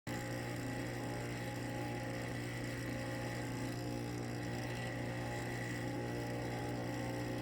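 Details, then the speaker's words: Coralife Biocube 32 aquarium cooling fan: loud, steady droning hum with a buzzy edge, audible a floor upstairs; faulty noisy fan, fixed by replacing it with a new one. "well that is the sound coming from my bio cube 32 fan it has gotten so bad that you can hear that sound on the next floor upstairs at times"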